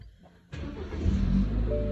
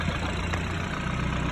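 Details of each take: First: 2013 BMW 328i, starting up in Park: a thin, steady whistle over the idle, and the engine starts shaking. The cause points to a vacuum leak at the PCV (crankcase vent) valve. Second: 2013 BMW 328i, after the quick fix for its whistling engine: a smooth, even idle with a low steady hum and no whistle or hiss. The engine sounds healthy.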